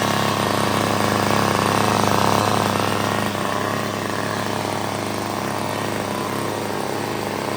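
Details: $5 yard sale two-stroke curb edger, mock-up gas tank feeding the carburetor, on half choke: steady even buzz, dips slightly once and recovers, no misses or surging; running fine.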